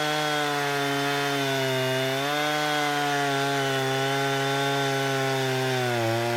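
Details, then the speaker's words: Husqvarna 455 Rancher chainsaw after an ignition coil replacement, cutting wood: a steady high buzz holds pitch, sagging only slightly under load with no stumbling. "I ran an entire tank of gas through that thing. Cut lots of sawdust, lots of biscuits or cookies. She runs like it's supposed to."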